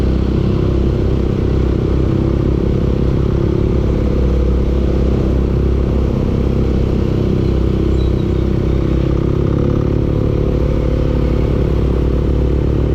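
Steady low engine rumble with a rapid, rough knock riding on every turn; internal engine knock, cause not clear.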